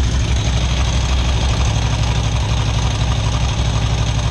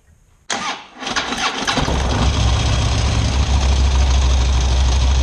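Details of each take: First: Harley big V-twin idling after a cheap top-end part was fitted, with a loping, uneven beat; ticking much reduced, only a faint top-end tick remains. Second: Big V-twin Harley engine starting and settling into a lumpy idle with a light top-end ticking, recorded before fitting a cheap part meant to stop the tick.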